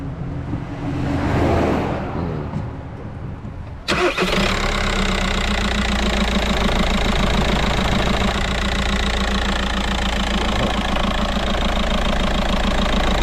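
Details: Worn dual mass flywheel on 2008 VW Golf Mk5 1.9 TDI diesel, car violently vibrating: engine catches and idles with steady rapid knocking rattle from the bellhousing, before clutch and flywheel replacement.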